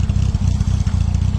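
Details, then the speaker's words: Donor engine just fitted and running after about 5–6 miles, burning some oil: rapid steady clattering ticks following engine speed; lifter noise from valve clearances set too tight. "I've got a lot of lifter noise from the engine, which I need to sort out, and it is burning a bit of oil, that I can see from the exhaust."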